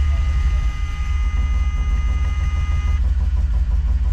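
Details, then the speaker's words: DeLorean, first start attempts, possibly flooding: low rumbling idle that surges and dips unevenly, as if running on moonshine; rough running. "it sounds like the DeLorean when it was inside the barn and like the third movie trying to start it up on moonshine"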